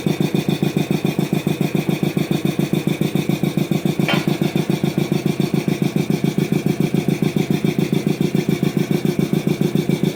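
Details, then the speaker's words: DeVilbiss 445 air compressor just reassembled, motor unused for years, running briefly without the inlet air filter: very regular pulsing thump about three to four times a second over a buzzing motor hum; unusual motor noise, cause not yet known. "Hmm. Almost sounds like the motor is making some weird noises. Um, it's been years since I've actually used that motor."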